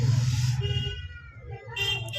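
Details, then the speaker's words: Microwave oven fan motor, removed and run on a series test: a low hum with a wavering high squeal and a scratchy whir that comes and goes. The customer complained of noise; the cause is worn fan motor bushings, to be repaired. "ये आप देख रहे हो य इसी में से आवाज आ रही है फ से क्योंकि इसके अंदर के जो स वगर होते हैं वो घिस चुके हैं"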